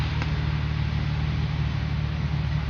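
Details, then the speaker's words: Infiniti G35 / Nissan 350Z after engine ticking/knocking fix involving oil change to Mobil 1 full synthetic 10W-30 (wrong oil used before): steady, quiet hum with no ticking; some rear wheel-bearing hub noise remains. "So there's no more ticking, guys. So you heard, guys, there is no noise in the engine. Pretty quiet, not like before, like knocking noise too much."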